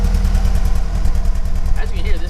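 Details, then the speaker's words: Toyota MR2 engine running: low, lumpy rumble surging and dipping unevenly, breaking up, spitting and sputtering badly; misfire with cause unknown, owner aware of one issue. "running super super rough is breaking up on me and everything like really bad and I don't know exactly what's wrong with it I do know one issue I'll go over in a second here but it's just not sounding really good and as you can hear it's spitting and sputtering really frickin bad"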